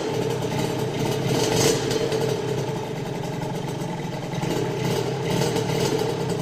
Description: primer arranque rieju RV restaurada